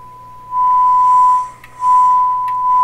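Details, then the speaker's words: Canadian Marconi Model 93 radio during shortwave band front-end alignment, tuned between 1.6 and 1.8 on the dial: a steady, clean high test-tone whistle comes through loud over faint hiss; the set already seems more sensitive. "I think the sets become more sensitive already that's pretty good okay"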